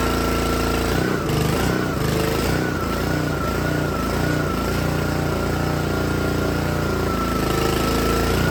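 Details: Troy-Bilt log splitter with small Honda engine driving the hydraulic pump, loaded with lawnmower blades after backing the pressure adjustment out a quarter turn to stop bogging: engine pulls down slightly, holds a steady beat with even pump whine, no stalling. Running healthy.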